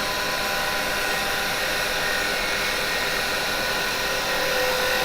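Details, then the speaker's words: Woodturning detail chisel making a finishing cut: loud steady hiss and rasp with a fluttering vibration, tool chatter because the tool isn't held straight enough; straightening the tool removes it. "Now when you get here and you might be getting that little bit of vibration, you can hear it. If you we got to really listen, right? If that's happening, straighten the tool more."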